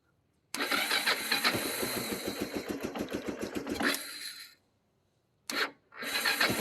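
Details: 1995 Bayou 300 4x4 ATV in neutral: it fires and runs roughly with uneven, stumbling pulses, dies after a few seconds, then restarts briefly. Owner suspects low or no gas. Hard starting and stalling.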